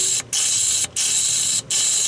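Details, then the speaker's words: 2005 Ford 6.0 Powerstroke no-start, shop air fed into the high-pressure injection oil system to air check the STC fitting at the high-pressure oil pump: loud, hissy rush of escaping air, briefly cut off about every 0.7 seconds, showing a leaking fitting. "By putting air into the high-pressure oiling system, the high-pressure injection oiling system, we can determine where the leak is."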